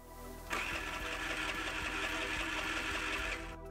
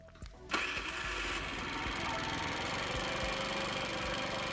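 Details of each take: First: 4-stroke scooter, ignition pickup under the fan cover misaligned (possibly after alternator replacement) with about a 4 mm gap to the flywheel; starter whirs steadily about four beats a second for three seconds, engine never fires; no spark, fixed by closing the gap to about 2 mm. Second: 4-stroke scooter after moving the ignition pickup from a 4 mm to about a 2 mm gap from the flywheel, previously no spark: brief crank, then fires at about half a second and holds a steady, light idle; spark restored.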